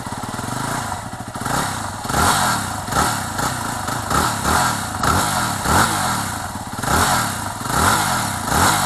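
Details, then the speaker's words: 2008 Yamaha WR250R after replacing fuel pump with Highflow Fuel HFP-390: single-cylinder engine catches and revs cleanly in repeated blips, no misses; pump audible at key-on, working well. "chaque fois qu'on met la clé à on on entend la pompe donc la pompe fonctionne bien"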